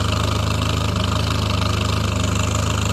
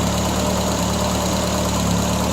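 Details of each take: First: 1975 Triumph Spitfire after smog removal, valve adjustment, timing set by ear, air box off: warm idle thumping about four beats a second, not quite even, occasional slight miss; owner suspects carburetion, rebuild pending. Misfire at idle. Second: 1975 Triumph Spitfire after smog removal and ballast resistor wiring fix, plenty of hot spark: steady, even low idle with firm rhythmic beat, no stumbling; timing still out, not yet set with timing light. Normal idle.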